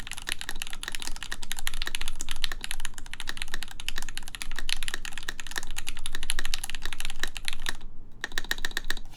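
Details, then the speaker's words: 4398 full-size keyboard, aluminum plate, Gateron X R2 switches, lubed Staebies v2 stabilizers, spacebar screw removed with ABS spacebar: even crisp soft muted key clacks, looser and quieter than with screw; normal typing sound. "yeah that sounds nice actually it sounds a a lot a lot better I think it kind of sounds like yeah sounds like looser and it's nicer"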